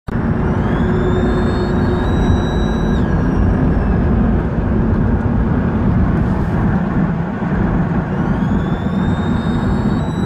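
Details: High thin whistle over the engine stepping up and down with revs; owner suspects a vacuum leak, cause unconfirmed.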